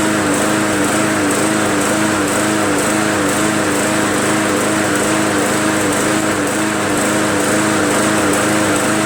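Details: MTD Yard Machines 20" push mower, Briggs 300E, just restarted after carb clean and draining water from the fuel tank: high steady drone swelling and dipping about once a second, mild idle surge; owner suspects carb still not fully clean or governor spring needing adjustment.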